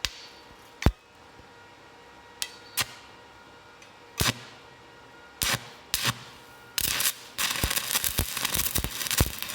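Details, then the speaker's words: Hitbox TIG 200 stick welding a 7018 rod at about 190 amps on a shared household circuit (200 amps trips the breaker): a few sharp strikes and sputters, then a steady crackling arc; bead looks fairly good; normal stick arc. "that's running at about 190 I could have probably put it up a little more to start easier"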